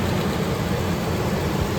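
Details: 2005 Ford F-150 Lariat 5.4L Triton, after replacing serpentine belt, tensioner and idler pulley for an engine whine: steady, even low rumble at idle and rev, no whine or chirp; belt drive healthy.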